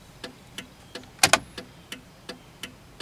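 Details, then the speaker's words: 1995 Cadillac Fleetwood left turn signal after repairing the bulb socket: crisp even ticks about three a second, steady like the right side, no speed-up with brake or headlights (previously fast); normal flashing. "well I'm happy to say that I finally fixed the problem when I turn the blinker on it blinks at a steady pace like the right one"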